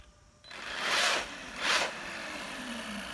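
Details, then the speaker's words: Arrma Kraton EXB 1/8 RC monster truck after diff rebuild (shims, fluid) and grub screw/motor mount fix: two quick passes of smooth high electric whir, no grinding or clicking; drivetrain sounds quiet and even. "It definitely sounds a lot better, guys. Bring it back this way. That definitely sounds a lot better. I'm not hearing any of that gear noise I was before."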